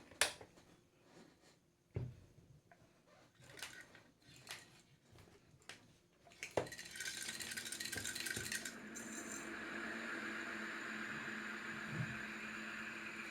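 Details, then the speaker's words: Ceiling fan brought in for slow-speed problem, held up on a hook and run: spins very slowly with a steady dry hiss and rough grinding rattle from the bearings — dry fan bearings. "Work ಆಗ್ತಿದೆ, but ತುಂಬ slow ಇದೆ, work ಆಗ್ತಿದೆ. ಮತ್ತು sound ಬರ್ತಾಯಿದೆ, bearing sound ಬರ್ತಾಯಿದೆ."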